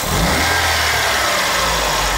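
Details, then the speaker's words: GM Corsa after service with old leaks cleaned, cooling system level still slightly high: steady, even, smooth idle where only the light quick ticking of the injectors pulsing is heard; engine healthy. "Tá funcionando aí sereninho."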